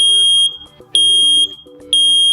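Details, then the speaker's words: First Alert CO400 battery-operated carbon monoxide alarm with electrochemical sensor: loud 85 dB piercing high-pitched T3 pattern, three beeps about half a second each, signalling carbon monoxide detected. "when an alarm is triggered you'll hear a loud 85 de T3 pattern chirp to alert"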